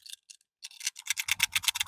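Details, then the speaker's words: IBM Travelstar hard drive from a 1998/99 Compaq Armada 1700 laptop, tipped by hand unpowered: dry, uneven ticking and rattling from something loose inside; it made very bad noises at first power-up. Loose heads suspected, not confirmed. "you can hear the rattle there's something definitely loose inside I don't know if heads got loose in there or not"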